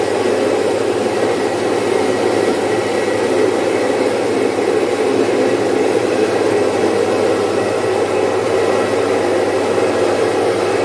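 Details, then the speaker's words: Domestic stone flour mill, single-phase 1 HP, splitting about 4.5–5 kg of moong into dal in three to four minutes. A smooth, even rushing hum holds steady throughout, with no knocks or surges; normal operation. "मित्रांनो आपण पाहू शकता अतिशय चांगल्या क्वालिटीची डाळ किती fast याच्यावर झालेली जवळपास तीन चार मिनिटामध्ये एवढी डाळ पाच किलो च डाळ आपण काढलेली आहे"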